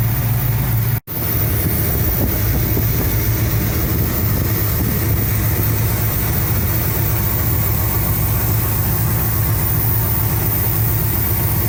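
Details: 1975 Cadillac Fleetwood V8 idling about 5 minutes during valve cover gasket replacement, being checked for oil reaching the top end (it does). Steady, unbroken low rumble with no ticking or knocking; normal idle.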